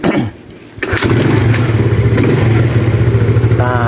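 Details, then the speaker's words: Yamaha Mio carbureted scooter after replacing its worn, loose carburetor needle jet: a short crank, then a steady, even low putter with no misses; normal idle, and no hesitation when the throttle is opened. "di sini bisa terdengar ya langsamnya Dia normal"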